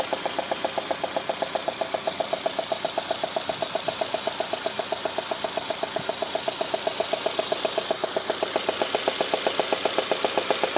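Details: Peugeot 106 GTI at idle, head done 3 months ago with new plugs: sharp metallic ticking knock about four per second; cause found to be a failed 4-month-old (5000 km) spark plug.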